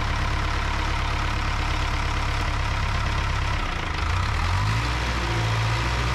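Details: 1975 Cat D3 dozer diesel running at low idle: revs sag around four seconds then climb back; throttle won't stay put unless held, cause not confirmed; fuel fitting leaking nearby.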